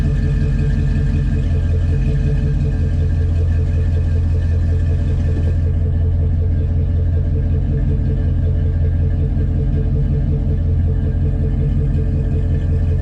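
Deep, steady V8 rumble holding an even idle throughout, no tapping, knocking or misfire heard; engine sounds healthy.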